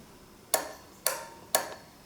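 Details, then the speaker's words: Retrofitted auxiliary light circuit with relay, bench demo: three crisp single clicks about half a second apart as the circuit is switched on; relay working normally. "also when I turn on the circuit you'll hear the relay clicking and that means that the delay is working so that's actually one way to check if the relay is working is listening to this clicking"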